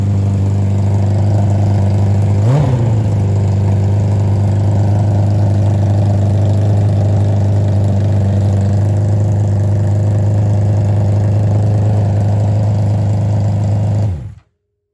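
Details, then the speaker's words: Nitrous Hayabusa revived from storage: after a blip it holds a steady but lumpy low idle; nitrous lines were fitted without jets, so the ports weren't sealed and air was getting in. "No, I didn't. I didn't put jets in there. So, we weren't getting that sealed up."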